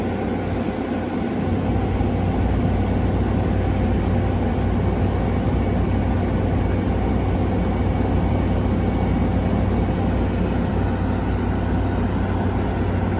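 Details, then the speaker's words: 2016 Frigidaire 5,000 BTU window AC: steady low hum with even fan whoosh, no knocks, rattles or squeals; starting and running normally, no problems. "everybody, this is a 2016 Frigidaire window AC, and it's 5,000 BTUs, and this thing works perfectly. It doesn't have any problems."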